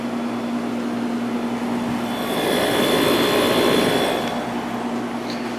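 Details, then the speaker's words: 1989 Fedders-made Climatrol 8,000 BTU window AC (Rotorex compressor, Samsung fan motor) just started on low cool: smooth low hum and light whirr over fan air, no knocks or rattles. Compressor pulling normally. "And yeah, that is a Rotorex compressor in there. Pulling right now."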